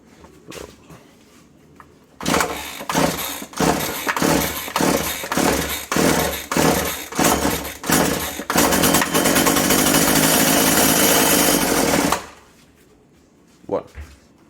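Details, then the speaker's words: Husqvarna/McCulloch Tivoli 65 two-stroke hedge trimmer, unused 15 years, primed with fuel through carb after air filter removed: about ten cord pulls, fires and screams briefly then dies; a fuel line is cut through and all are perished, starving it. "Bueno, y además tiene un tubo seccionado, así que así difícilmente iba a ir bien, ¿eh? Están todos medio podres, habrá que ponerse los nuevos."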